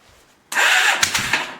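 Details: Old roughly $100 motorcycle given up for dead, tested for spark: a short burst of sharp, uneven firing catches for a moment and then dies away; the engine cranks and fires briefly but won't keep running.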